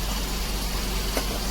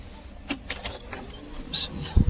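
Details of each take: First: Daihatsu Dabbab (Hijet) after cleaning and adjusting the electronic throttle body plate: steady, even idle with a smooth low rumble, no stumble or hunting; previously high, fluctuating idle now fixed. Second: Daihatsu engine with electronic throttle body cranks then holds a high, racing idle that doesn't settle, using more petrol; fixed by cleaning the throttle body and refitting the old sensor.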